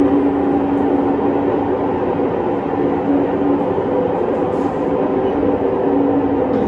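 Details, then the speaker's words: Fisher & Paykel Cleansmart WL1068P1 top-load washing machine on spin: loud steady rumbling roar with droning tone from worn main drive bearings, before bearing replacement. "does your washing machine make a terrible riding noise like that well chances are the bearings are stuffed"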